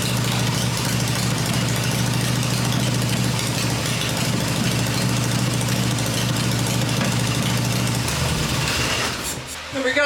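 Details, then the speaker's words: Freshly rebuilt black Harley Evo V-twin motor running on an engine test stand with open exhaust (pipes covered to hear the engine), during a test-stand run cycle: steady, even idle with clean low thump, no knocks or misses; sounds good. "but now she's running and we're happy about that after all the work and all the wondering she sounds good so I'm pleased to have it running on the stand"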